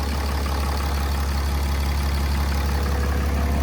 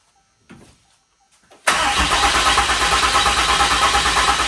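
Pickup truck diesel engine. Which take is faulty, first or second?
second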